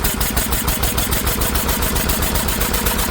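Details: Old Lister engine, first run in many years after sitting, throttle held open with a stick: fast, crisp, even chuffing about seven beats a second, no misfires or knocks; runs healthy, just revving high.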